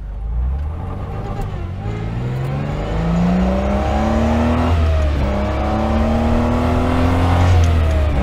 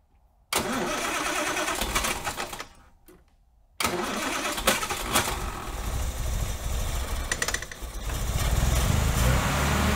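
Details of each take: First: Austin Healey 3000, top down, on-road full-throttle run after fixing sinking SU carburetor floats that raised fuel level: strong, smooth pull climbing through gears under heavy wind noise; engine feels amazing. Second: Austin Healey 3000 on SU carburetors, test fire after refitting reworked floats: runs ragged, popping and banging, misfiring; plugs then checked.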